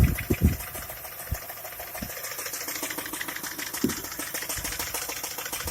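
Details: Skoda Octavia A5 1.6 MPI petrol engine at idle with an irregular, faint, uneven tapping knock about twice a second; engine knock, cause unknown, owner asking what the problem is.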